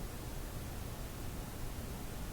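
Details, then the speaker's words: Philco 91A radio after reinstalling a rewound coil: only a faint, steady speaker hiss, no stations or tones. The audio section and tone control work well, but the set still receives nothing. "okay so we know the audio side of this uh radio appears to be working quite well still getting nothing happening"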